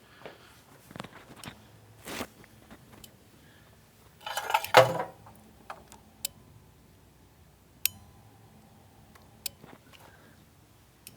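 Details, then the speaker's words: Chrysler fuel pump relay under scan-tool bi-directional control, heard close up: sharp single clicks every second or two with faint pump hum, relay energizing and pump running normally. "how's that sound what's that sound tell you the relay is energizing I can hear the pump running"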